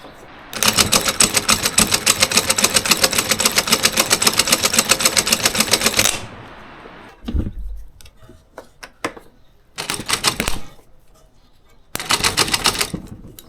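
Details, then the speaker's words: Starter motor off a David Brown 990 diesel tractor abandoned 20 years after tipping over while running, bench tested after reassembly: short rattling bursts with fast uneven chatter instead of a clean whirr; worn commutator needs machining in the lathe. "that comm needs to be put in the lathe, so I'll put that aside for now and work on that later."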